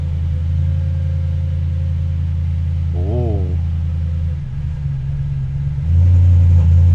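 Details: Audi S5 4.2 V8 at first start after intake refit with new gaskets to fix misfire: steady low even rumble, regular firing, no miss or stumble; intake flaps briefly faulted until codes cleared.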